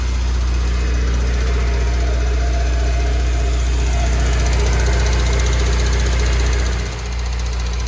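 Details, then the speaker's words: Honda S2000, bored-out engine with ARP head studs and roller rockers, just reassembled: sharp regular tick about three per second over steady idle; a valve spring retainer cap had fallen off and the rocker struck the spring, fixed by refitting it. "That cap right there had fallen off and the roller rocker was literally touching the spring and it was making the ticking noise."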